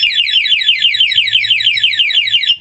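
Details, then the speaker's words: Honda ADV 160 scooter with a newly installed two-way alarm: locking via remote cuts the engine and arms it, giving shrill rising chirps about five a second for a couple of seconds; anti-theft alarm sounding. "Pwede na natin patayin sa lock. Pag nilock natin, mamamatay, mag-alarm na po yan."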